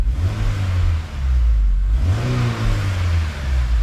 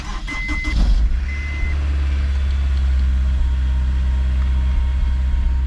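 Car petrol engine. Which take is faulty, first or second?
second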